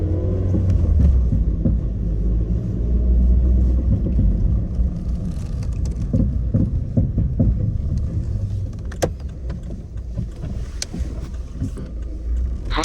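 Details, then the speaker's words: Suzuki Swift Sport ZC31S, over 10 years old: hollow knocking from the front while driving, absent during acceleration, worse when shifting from acceleration to low-speed cruise, also on deceleration and with the clutch in or in neutral; none with the engine just running. Garage found worn upper strut mount bearings. "ってすぐフロントあたりからコンコンって音がしだします。加速中はしないのですが加速から低速巡航になると音の代償はあるけど、コンコンと、打撃音がひどくなります。減速時も打撃音が出てきます。"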